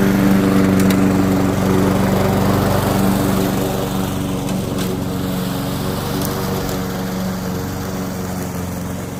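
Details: Curbside-found Weed Eater walk-behind mower, flywheel key previously broken by a blade impact, running a smooth, even single-cylinder drone at steady governed speed, fading slightly as it moves off; normal running, carb tidy, rinse and oil change planned.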